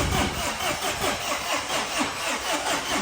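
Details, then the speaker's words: Tata 2.2 diesel, 150 hp, oil ran dry: starts briefly then dies, hard to start as if lacking compression, turning over in slow, uneven heaves; crankshaft scored and oil pump not working. "ตอนแรกมันติดอยู่แป๊บนึงแล้วก็ดับนะติดอยู่แป๊บนึงแล้วก็ดับแต่ติดยากเหมือนรถไม่มีกำลังอัดนะ"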